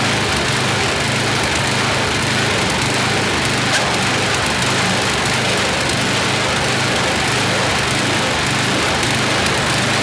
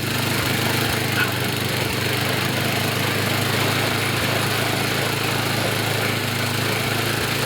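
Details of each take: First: YardMan snowblower small engine test-run after an auger belt fix. Races at a fast, steady buzz with faint unevenness. Speed is set a bit too high and needs tuning by pulling back throttle; also slightly stumbly, idle circuit may need checking. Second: Yardman snowblower small engine after idle and high-RPM adjustment and auger belt fix: steady, even buzz at high speed with no surging, misses or hunting; running properly.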